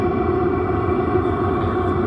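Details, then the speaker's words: VEVOR diesel heater installed in a 1977 GMC Eleganza motorhome, running with no muffler on a warm day of about 66 degrees. Even low roar with a steady hum, not very loud; the air intake is louder than the exhaust. Running normally. "And ultimately, it's not that loud without the muffler. I'm not sure how loud it is on camera, but this is what it sounds like with no muffler."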